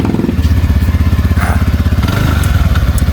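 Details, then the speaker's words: TVS Ntorq 125 scooter after full service, which cured an earlier cracked-pot-like engine noise. The auto choke ticks briefly after start. Steady, even idle thump about four beats a second, no knock or chain rattle; normal idle. "लेकिन अभी एकदम मस्त sound निकला है दोस्तों इतना काम कर दिए इसमें एकदम मस्त साउंड आ गया"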